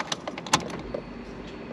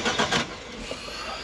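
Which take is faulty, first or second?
second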